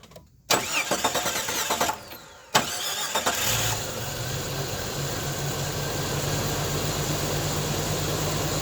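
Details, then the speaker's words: Jeep XJ at idle right after exhaust manifold replacement, brief test start: starter cranks, engine fires and settles into a smooth, steady idle with no ticking or exhaust puffing, much quieter than before; normal idle. "leak that's a lot quieter than before"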